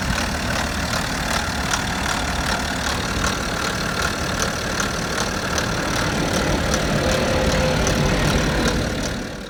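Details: BMW F10 530d LCI diesel on early-morning cold start: steady, fairly regular ticking knock about three per second over the idle clatter; source not pinned down.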